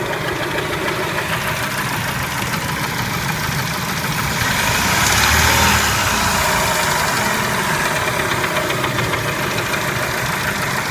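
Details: Spectra engine at idle: a steady, fairly even tapping of roughly three per second rides over the idle; clear engine knock, cause not determined.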